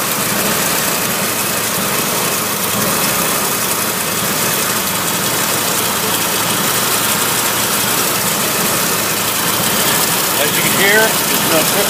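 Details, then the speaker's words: 1961 Willys Jeep CJ5 with 1957 Chevy 283 V8, manual choke, idle set slightly higher than normal for faster winter warm-up: steady, even running with no ticking or knocking; healthy idle. "Start right up. It's idling. I got the idle set a little bit higher than normal, just because in the wintertime it warms up faster that way."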